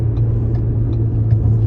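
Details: 2013 Ford Taurus on a lift with the wheel spun: steady low buzzing hum from a worn wheel hub bearing; a howl was then found from the rear after the left front hub assembly was replaced.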